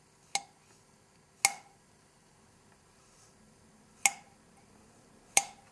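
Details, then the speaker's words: 1974 Honda CB750 cylinder head during rebuild, valve tapped after lapping: four sharp separate taps, each with a clear high-pitched tingy metallic ring that fades quickly; the lapped valve is seating properly on its seat. "it's a high-pitch tingy metal sound"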